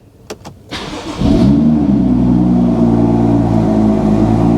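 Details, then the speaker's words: Early manual BMW M2 from salvage auction, about 33,000-38,000 miles, service due, cold start: short crank catches within a second, flares, then settles into a smooth even steady idle. Normal cold start. "Listen to that. Yeah. It's a good one. Yep, nice car."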